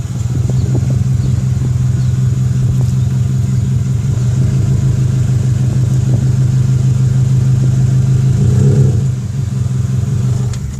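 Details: Subaru WRX while driving: steady low drone rising slightly with speed, no clear click or knock. Owner suspects an axle, though there's no play; brakes and dust shield checked okay.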